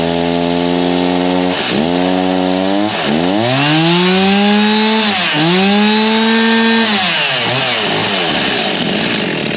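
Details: G366 chainsaw on dyno after big carb swap, still warm, tuned to about the same as before: revs sweep up and down, repeatedly sagging and recovering instead of holding a clean scream; bogging, a major part missed in the swap.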